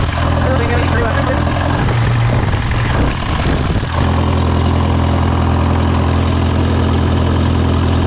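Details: Case VAC tractor after an aftermarket water pump was fitted, warming up with the gauge at about 30–35°C; it had earlier overheated to 80° after a coolant change. A steady, even low rumble with a brief dip mid-clip and no knocks or misses: a normal idle.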